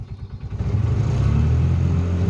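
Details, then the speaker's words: Bobcat 3400XL UTV (Polaris Ranger 500 equivalent), single-cylinder fuel-injected Polaris 500, bought cheap at auction: revs fine at three-quarter throttle, but flooring the pedal makes the engine labour and decelerate instead of climbing; bogs at full throttle, possibly governor but owner doubts it. "if i take the the gas pedal and i push it down about three quarters of the way the engine revs good if i go the rest of the way to the floor the engine actually decelerates and sounds like it's getting worse listen"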